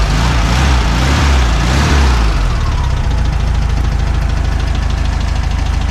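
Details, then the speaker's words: VW Beetle flat-four after the plug-wire firing order was corrected: steady, even low chuffing at idle with no skips or stumbles; normal idle. "oh it could also be the uh that sounds better don't it oh Beetlejuice is alive again"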